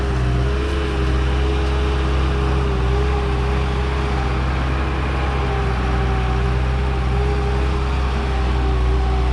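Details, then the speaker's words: Bobcat 873 skid steer diesel, second try after fitting a new fuel filter: steady, even drone with no misses yet, though it still stalls later; runs longer than before, fuel tank suspected full of dirt and debris. "okay so we're still having the same issue but the skid steer did make it a lot longer before it died so I think we're on the right track"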